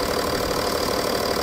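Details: BMW M550d F10 diesel after coolant-leak repair (water flange), before a test drive: steady, even idle with light clatter, no misses or surges; normal idle.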